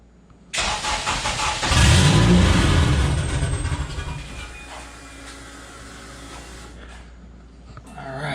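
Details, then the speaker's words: Porsche 996 911 first fire after a JDM K24A engine swap, primed and started with remote tuning: engine catches with a rough burst of low firing, surges briefly, then dies within seconds, giving a small puff of smoke, which is expected on first start. "little puff of smoke that's to be expected and it just stalled so"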